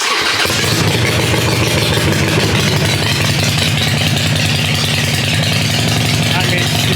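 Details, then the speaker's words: Harley-Davidson XL883 Sportster, a non-running theft recovery, after a new battery and new pre-gapped plugs: deep, loping V-twin thump holds steady and even at idle with no misses or knocks, felt in the chest; normal idle. "and you know the weird or the cool thing is you feel it in your chest when it runs"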